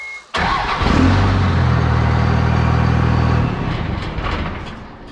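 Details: 1998.5–2002 Cummins diesel with a recently fitted VP44 injection pump during a hot hard start diagnosis, engine warm; it catches almost instantly on the bump, settles into a steady, even low rumble, then eases down, a clean hot start.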